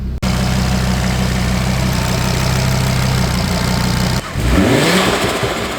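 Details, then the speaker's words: Audi RS3 DAZA engine first run after install, during coolant bleed, on jumper cables: steady even idle hum, no knocks, brief blip and settle; auxiliary coolant pump audibly running; healthy warm-up idle. "I can hear the auxiliary pump going, which is awesome."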